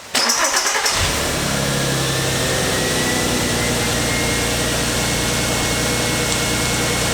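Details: VW R32 Golf, about 293,000 km, recently serviced with new spark plugs, run briefly without radiator coolant: cranks briefly, catches cleanly and settles into a steady, even idle with no knocks or misses; healthy start and idle.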